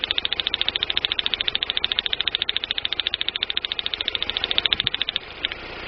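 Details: 1999 Daewoo Nubira 2.0L DOHC U20SED idling with crisp, even ticking about three and a half times a second over a faint idle. The ignition misfire is suspected to come from a weak spark from the DIS direct-ignition coil, not confirmed.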